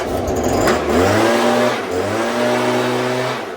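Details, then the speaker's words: Stihl BG86 two-stroke leaf blower after carburetor adjustment (L, H and LA screws, high side backed off slightly): steady buzzing note, picks up cleanly, no sagging or stumbling; no longer dying or running rough. "Sounds good. It's not dying anymore, and it's not running rough"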